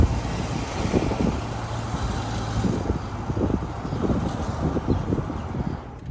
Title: 2018 linclon Navigator grinding noise 5 years linclon still can’t fix it.